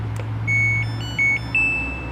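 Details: Samsung WA11F5 washing machine control board after repair (it powered on but the start button did nothing): three short high beeps, the last rising, over a low hum with relay clicks on the AC side; the board now responds normally.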